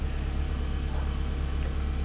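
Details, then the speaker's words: 2004 Toyota RAV4 after fixing crank-no-start: low even idle rumble, no misses, stumbles or knocks, then accelerates fine; repaired and idling smoothly. "check engine light. Let's accelerate. Very good. We can accelerate. And now we are back in business."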